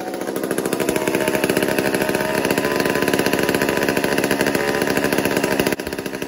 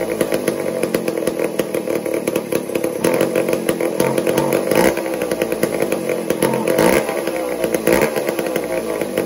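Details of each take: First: Old McCulloch 1-10 chainsaw, a two-stroke not fired for a long time, during carburetor tuning: revs surge and sag unevenly with a ragged, stuttering firing beat; runs erratically, cause not pinned down. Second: Old McCulloch 1-10 two-stroke chainsaw, long unused, running erratically then buzzing as throttle is eased and tuned, settling to a steady idle without misfires; something had been stealing spark until cleaned out.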